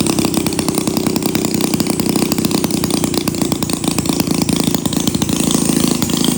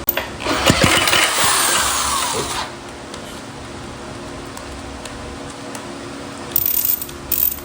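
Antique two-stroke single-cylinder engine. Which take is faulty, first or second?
second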